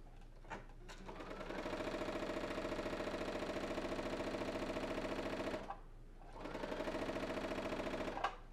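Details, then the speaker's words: Brother ST150HDH sewing machine just after oiling the upper thread bearing, run with the foot pedal: an even patter of needle strokes about 3.5 per second with no knock or grind; it sounds and feels good. "Seems pretty good to me, sounds good, feels good."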